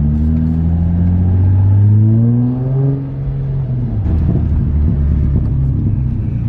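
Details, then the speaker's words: Nissan 350Z V6 on a test drive after a misfire fix and cleared codes: pulls smoothly through the revs and shifts with an even exhaust note, no stumbling, and feels strong. "far she feels pretty good she doesn't feel uh it doesn't feel like it's misfiring"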